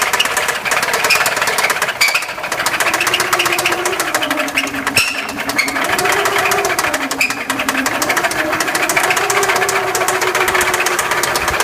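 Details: 2004 Subaru Forester XT engine running: fast, light ticking knock over a busy hiss; timing belt tensioner test did not seem to be the cause, source unknown.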